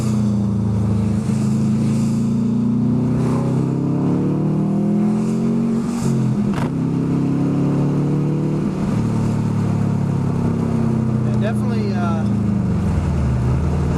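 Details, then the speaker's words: Subaru WRX turbo four, warm, accelerating hard on test drive after fixing cylinder 1 misfire (P0301) under heavy acceleration; cause was a bad coil pack, not the suspected injector; revs rise and fall smoothly, no stumble or popping; normal acceleration. "not miss it anymore that was a problem which is nice"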